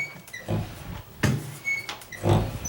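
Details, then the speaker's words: Interior condo door swung open: short high-pitched squeaks from a dry hinge rubbing between its knuckles, not hitting the wood; fix is greasing the hinge. "because in between the knuckles somewhere, it's doing that. It's not hitting the wood or anything."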